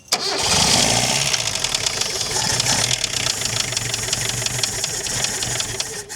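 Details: Chrysler Galant 1600 wagon running cold after sitting 30 years: rattly, clattering knock over the idle, like an old diesel. Thought not to be a conrod knock, possibly pre-ignition; blowby also mentioned. Cause unconfirmed.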